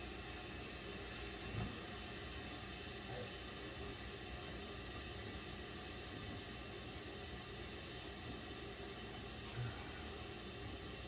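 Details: Basement bathroom toilet in an older house with some galvanized plumbing: a steady, loud rushing hiss after flushing, "like a plane taking off"; the plumbing company says it may be normal.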